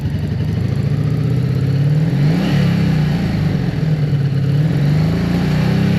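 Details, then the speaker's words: Honda V65 Magna V4 being woken after storage, now running on all four cylinders: uneven lumpy running with occasional sharp pops as revs rise and fall; backfiring, cause not yet found. "Well, certainly running on four now, but you can hear it backfiring."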